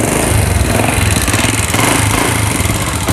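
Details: Old Honda Legenda running loudly and roughly with uneven rattly clatter and throbbing pulse; owner reports smoking, noisy running, spark plug quickly fouling, stumbling and hard starting; suspects worn piston rings or valve seals.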